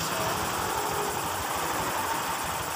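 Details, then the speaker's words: Honda Vario 150 FI scooter idling, owner complaining of a rough krotok noise from the rear: steady gritty grinding from the CVT, traced to a worn rear pulley bearing, very loud when the pulley is spun. "suaranya kasar sekali Hai nanti kita lakukan bergantian pada bearing puli belakang"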